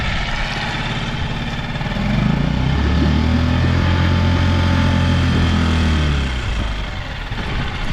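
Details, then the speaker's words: Outboard motor with good spark and compression, run on fresh fuel after warming up: steady, even low idle with a smooth regular beat and no misses; normal idle. "Oh. Well, that's a pretty good pretty good idle. I think she just needed to warm up a little bit."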